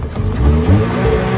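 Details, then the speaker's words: Secondhand car that would only start at night and not in daylight, now after the fix started at 5:04 p.m. in daytime: the engine catches at once and revs cleanly with a deep, even note, no misfire; normal start and rev. "Let's see if the car can start. 3 2 1 start up. Start smoothly."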